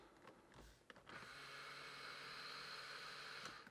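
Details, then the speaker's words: 1989 Porsche 911 Carrera 3.2 Cabriolet, driver's power mirror moved down, up and left by joystick with ignition on, before the passenger-side wiring repair: even two-second small-motor whir, no grinding or clicking; normal. "so if I you know go down you can see the mirror moving down up that's right and then there's left"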